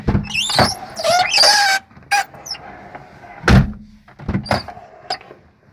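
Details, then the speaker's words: ZAZ Chance car door: loud, high rising creak each time the door swings, with clunks at the end of travel; a dry hinge, fixed by cleaning with throttle body cleaner and working it open and shut a few times. "У меня машина ЗАЗ-Шанс, но это проблема на любой машине, когда неприятно скрипит дверь."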